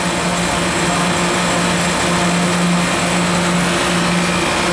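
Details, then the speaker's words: 2018 Koolant Koolers 10-ton chiller, model SVI-10000-M, with a high-pressure pump at about 50 psi and internal spring-loaded bypass. Fluid is cooling to about 56–61°F. A steady, even hum with a constant mid-low tone and no knocks or rattles. Normal running. "it's a high pressure pump actually which will be good if you go into multiple process uh process machines or devices right now it's happy at about 50 psi which is on the high side for a typical 10 ton 10 ton pump"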